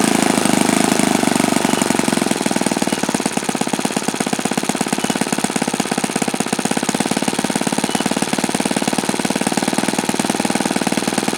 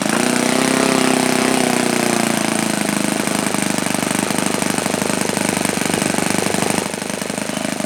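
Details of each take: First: OS FS-alpha 110 model four-stroke glow engine, worn, just rebuilt with a new connecting rod and crank bearings: a steady, crisp buzzing firing rate with no misses, yet it tops out well short of the review's rated rpm. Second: OS FSa-110 four-stroke glow model engine, well-worn, run after connecting rod replacement: fast buzzing exhaust note sags in pitch early, then holds a fairly even beat; engine running.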